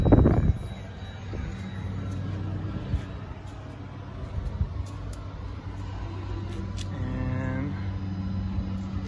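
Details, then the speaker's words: ARB single air compressor, newly installed on the firewall of a 2020 Jeep Gladiator Rubicon 3.6 V6, switched on via aux 1 with the vehicle on; a low, steady electric hum, no rattles or labouring, and no leaks on a soapy-water check. Running normally. "There we go, you can hear it running."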